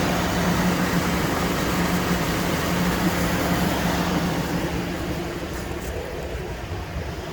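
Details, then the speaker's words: Car with a dead battery, running on a jump start; a shop claimed a bad engine knock, oil found slightly low and topped up: smooth, even idle, steady low hum, no tapping or knocking; engine sounds really good. "Knocking where? Where is it knocking? This engine sounds really good."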